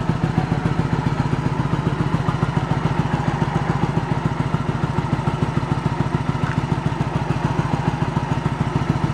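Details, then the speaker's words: 1986 Yamaha Virago 1100 V-twin, sat six to seven years with fuel in it, no choke: lopsided thumping idle with every other beat missing; front cylinder not firing, fuel later confirmed reaching it. "Front cylinder's not doing anything. I got nothing on that front. I gotta look into it."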